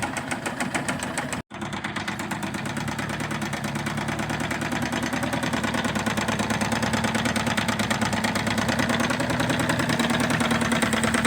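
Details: 2002 Tracker 25 hp outboard at steady idle with a rapid, fairly regular knocking pulse about three per second over it. Some internal knock, cause unclear.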